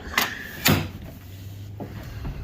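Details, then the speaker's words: 1999 Chevrolet Suburban GMT400 door with broken, cracked hinge pin bushings, sagging about 1/8 inch; two hard clunks as it is pushed shut, latch scraping and rubbing on the striker, before new bushings and roller. "You can hear it rubbing on the striker. You gotta push it to actually get it to go in."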